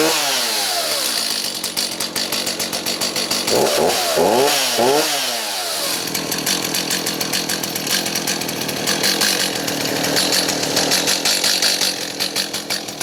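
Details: Stihl MS290 chainsaw after fuel line replacement to cure a fuel leak: it starts and revs, then settles into a steady high-pitched two-stroke buzz with no stumble or bogging.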